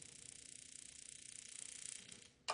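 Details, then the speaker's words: Heatstar (Mr Heater) HS8060 60,000 BTU propane radiant shop heater on temporary test wiring. Rapid even sparker ticking, about eighteen per second, then one click off; the burner never lights. Owner suspects air in the gas line. "hear the clicking I hear the sparker it's not starting right up so I don't know if we got air in the line or what not quite sure what's going on"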